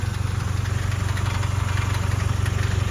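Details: Range Rover Evoque (stolen-recovered) idling with a deep engine drone and regular tinny buzz about three times a second: loose exhaust heat shield rattling against its mounts, likely clipped and moved; fix by adding washers under the mounting nuts/bolts.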